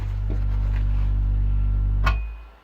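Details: Boiler humming (гудит котел), recorded as the damper (шибер) is closed; deep steady drone with stacked low tones that keeps going after the damper shuts, cause not yet found.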